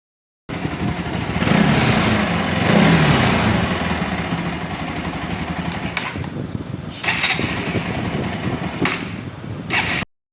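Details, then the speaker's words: Bajaj Pulsar NS 200 after timing chain replacement, reassembled and started: engine fires, blips up, then settles to an even steady idle with no chain rattle or ticking over the exhaust note. Normal idle. "Complete করে গাড়িটাকে আপনাদেরকে start করে একবার দেখাবো যে গাড়িটা ঠিকঠাক sound হয়েছে কি না।"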